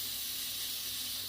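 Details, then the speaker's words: SodaStream CO2 cylinder, chilled in the freezer, being filled from a fill adapter: steady sharp hiss swelling at the end when the valve is cracked, a leak at the fitting; owner suspects the O-rings are poorly seated. "Crack it first. Make sure you got no leaks. See, I can hear a leak."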